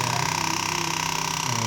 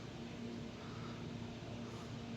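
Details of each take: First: New HP LaserJet 1008 printer fitted with a compatible toner cartridge that shows an error: a fast, steady buzzing rattle of about twenty pulses a second over a high hum, coming from the cartridge. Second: HP LaserJet 1008 printer after fitting a genuine toner cartridge and powering on: quiet low hum, one small click, no grinding; the earlier noise was a cartridge problem and is now gone, printer ready.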